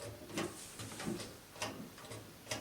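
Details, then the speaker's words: GE dryer that will not start or turn on: door switch pressed by hand gives several sharp, separate clicks in a quiet room; switch actuates normally, so it is likely ruled out as the cause. "supposed to hear like a click and i don't think that i i think i do hear it so i assume that wasn't the problem"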